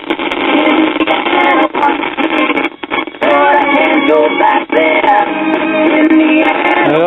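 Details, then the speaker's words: Teaching Technology record reader converted to a record player: music sounds thin with almost no bass and briefly drops out several times; suspected intermittent cartridge or bad capacitor in the amplifier, not confirmed. "like we have an intermittent cartridge and the base is lacking that could be a bad cartridge or a bad cap in the amplifier"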